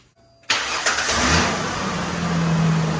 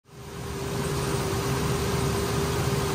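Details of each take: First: 2002 Ford Ranger 4.0 after new idler pulley and drive belt: engine catches quickly and settles into a steady even idle, belt riding in the ribs, no chirp or squeal; normal start and idle, no belt squeal. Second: 2002 Ford Ranger 4.0 at idle: steady high whir holding one pitch from the accessory belt drive; could be belt, tensioner, idler, alternator or power steering pump, idler and belt to be replaced.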